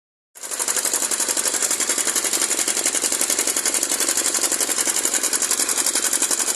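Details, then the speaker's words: Honda CG 150 Titan engine: a fast, even metallic clatter at about four beats a second, sharp and tinny; the slack cam chain is slapping worn guides even with the tensioner fitted, and chain, guides and tensioner need replacing. "isso faz o grande barulho essa folga mesmo com esticador Ali no lugar aí lá dentro tá comidinha"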